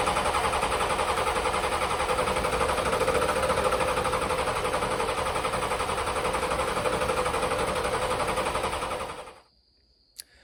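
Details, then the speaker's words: 1986 Ford F150 with swapped 7.3L IDI diesel: starter cranks steadily about four turns a second for nine seconds without starting; injection pump solenoid voltage dropped from 12 to 8.5 V during cranking due to shared wiring and weak batteries. "when I turned the key on I got 12 volts but when I cranked it it went down to 8 and 1/2 at the actual injection pump so I wasn't getting enough power to the solenoid to keep it open during cranking"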